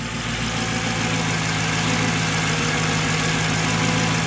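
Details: Mercedes C55 AMG after custom fuel filter setup fixing fuel pressure loss, fuel pressure just under 60: smooth, even idle with steady low beat, no misses or ticks after start in neutral. Normal idle.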